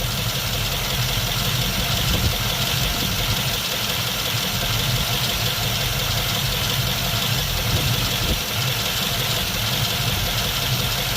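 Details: 1951 Mercury after swapping to a Rochester 2-barrel carb, warm day; steady busy idle with faint uneven lope while idle mixture screws are being adjusted, not yet set for smoothest idle.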